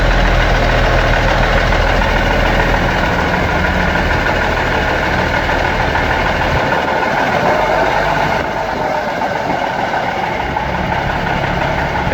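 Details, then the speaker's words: Seddon Atkinson 311 classic truck, Cummins diesel, yard find being rebuilt, first start attempt: steady low idle with even chugging, about three beats a second, no knocks or misses; sounds sweet as a nut, holds its coolant without leaking. "It sounds sweet as a nut and it does hold all its fluid."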